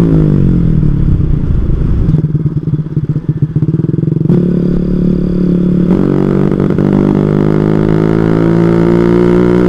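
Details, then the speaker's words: Carburetted small motorcycle under full throttle: revs climb then falter and surge unevenly, high-RPM stumble that persists after carburettor was cleaned the night before; rider suspects mixture setting, cause unconfirmed. "Oke kita coba tarik lagi guys ya kan masih brebet guys"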